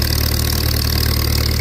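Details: Old Farmall tractor at a pre-auction preview: steady, even low idle with a smooth unbroken beat, no knocks or misses; running healthy.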